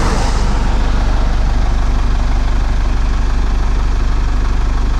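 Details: Camper van on the road in Poland: steady engine drone with a regular low knock about twice per second over the motor; something knocking, possibly a wheel, source unclear.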